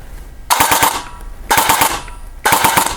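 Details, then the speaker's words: Perun V3 Hybrid mosfet in an Elite Force MP5K airsoft replica on a 7.4 battery, rate-of-fire reduction set to 4: short bursts of sharp clacks at about 7–8 rounds a second versus roughly 13–14 normally; reduced rate of fire setting. "You see my rate of fire is slowed quite a bit there. It's actually rather slow."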